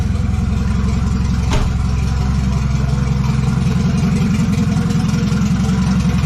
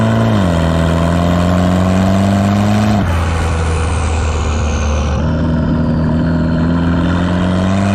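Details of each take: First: $200 wagon, first start after fitting a new GMC Typhoon/Syclone turbo and priming the oil: catches easily, steady, even idle with clean throttle blips. Healthy, though the factory hard oil feed line plug leaks. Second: Station wagon fitted with a GMC Typhoon/Syclone turbo, boost controller turned up: engine pulls hard with a rising drone, then note and power drop sharply as boost overshoots and hits fuel cut.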